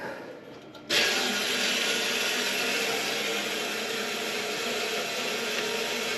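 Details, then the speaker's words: Neglected muddy steam boiler found running without water, drain and low-water cut-off cleared of sludge: feed pump runs on bypass to refill, steady rushing hiss starting abruptly as water flows toward the sight glass; normal filling. "You hear the pump going. Not sure if I'm hearing water moving, but that's alright for now. We bypass and fill."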